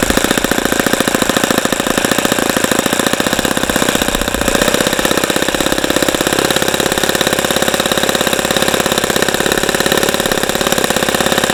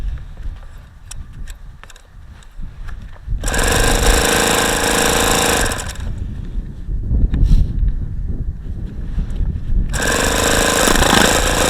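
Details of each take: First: ASP FS65 four-stroke glow engine on test stand, 29°F day, APC 12x6 prop, OS F plug, 5% nitro fuel, started with much lighter fluid, warmed to 78°: fast, steady rattling beat with no stumbles; normal running. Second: ASP FS65 glow-plug RC model engine on a test stand on a cold 29°F day, with 5% nitro fuel, an OS F plug, an APC 12x6 prop and lighter-fluid priming: two long bursts of starter whirring, with strange exhaust sounds as if wanting to fire, but it never catches.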